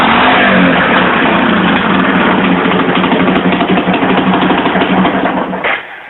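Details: 1982 Yamaha SR 250 Special Edition single-cylinder motorcycle, probably from when the carburetion was being adjusted: loud, raspy, harsh, open-sounding lawnmower-like putter with choppy pulses about three a second; the exhaust line is full of holes and leaking.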